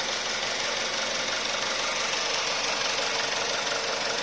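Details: Petrol engine after a scheduled oil change, oil system flush and Lavr combustion-chamber decarbonizing to address pre-ignition: steady, even run with a busy top end, no knock or misfire. Normal running.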